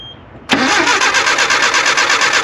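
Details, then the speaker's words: Nissan 720 pickup that sat about 20 years: steady, even cranking at about seven pulses a second that never fires; cranks but won't start, ignition issue suspected, carburetor also unhappy. "That ignition issue might be getting us."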